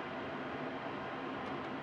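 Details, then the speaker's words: Modified IQAir Compact air purifier with a 309 CFM inline centrifugal fan replacing the seized motor, pulling a lot of air in the bottom: steady, even rush of air with no rattles, ticks or tones; running normally. "but it's moving a lot of air selecting a lot of air in the bottom"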